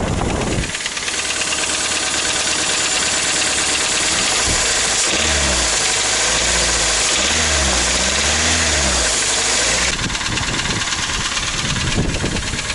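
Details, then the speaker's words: Toyota Rush with a 3SZ-VE engine. A hollow, regular knock of about three per second sits over a rough idle: piston knock (piston slap). "Вот получается 3D двигатель стук поршней на перекладке"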